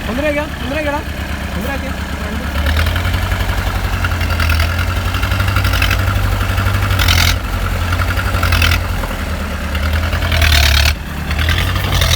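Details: 1986 Mahindra 500D jeep, International slow-speed direct-injection diesel, idling after cold start following 18 years of standing: steady low, slightly lumpy idle under music; no distinct knock or miss.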